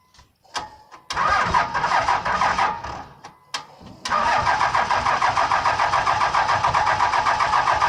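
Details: Dodge Ram Cummins diesel, cold start with a bad starter: two short struggling cranks, then a third that catches and settles into a steady diesel clatter; slow cranking from the weak starter.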